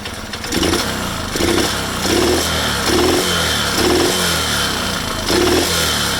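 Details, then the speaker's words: Alfa Delta Active moped engine running with a loud, hard metallic rattle on top, like valves set with oversized clearance; the knocking comes from a loose starter clutch and a rocking sprocket bearing. "Хочу вам показати пару причин, чого мотор получається тарабанить, стукає наподобі отакого звуку."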